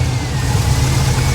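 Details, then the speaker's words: 1977 Monte Carlo held just off idle with a lumpy uneven beat, missing and hesitating at light throttle but okay at higher rpm; owner suspects spark, distributor or vacuum advance rather than fuel; misfire at light throttle. "yeah sounds like it's missing when I'm giving it throttle hesitating l a little bit h"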